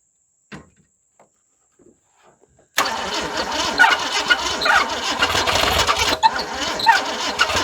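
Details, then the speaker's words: 1978 Ford Fairmont wagon that sat for 35 years, plugs cleaned and given a shot of gas: sluggish, uneven cranking at about two turns a second that never catches. The battery is too weak; a squeak was noted earlier, owner wondering about a bearing. "yep that battery's gone too these are the two weakest batteries I believe I've ever seen in my life"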